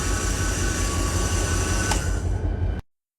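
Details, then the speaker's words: Locomotive during inspection, oil pump run with the automatic brake released: loud steady rumbling hum with harsh whirr and thin whine; rough motor noise, brushes suspected worn. "This here sounds a little creepy. I think it's time to replace some brushes."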